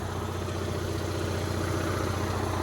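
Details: Onan Marquis 5500 RV generator after refitting a crankcase plug that pressure had popped out, causing oil smoke, running both rooftop ACs at full load: smooth constant drone, no knocking or surging, no smoke.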